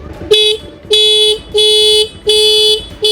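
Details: Honda Activa scooter horn after setting its star adjusting screw: five clear, even blasts about half a second each, steady full tone with no rasp or fading; horn sounds normal.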